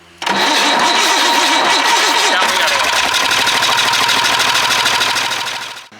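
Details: White Super Power truck with Perkins 6/354 diesel, unrun for many years: starter grinds with a wavering churn for about two seconds, then catches and settles into a steady even diesel run; normal start.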